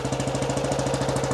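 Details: 1935 BSA Blue Star 499cc single, freshly restored, cold start, no choke, full advance, cold oil giving high pressure: even, steady thump, no misses or knocks; healthy settled idle.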